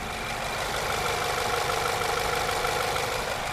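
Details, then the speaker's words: Ford Fusion fully warm, idling at base idle around 700 rpm with AC off: smooth, even idle with no knock or rattle; heavy knocking appears only once the AC compressor engages. "all right so I got the vehicle started and it's idling full hot back down the base idle 700 some RPM and it sounds"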